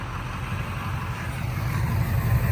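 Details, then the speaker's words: Engine idling with a low, uneven, lumpy rumble and stumbling beat, sounding good for a misfire; a replacement injector is on hand and the truck is started before hooking to the trailer. Misfire at idle suspected. "D that thing just sounds good for a Miss fire"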